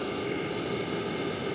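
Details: LF Bros N4 5 kW diesel heater on its first burn-in run, outlet air about 50 °C, exhaust pipe about 275: a steady, even roar of fan and combustion with a faint hum, no surging or popping, running normally.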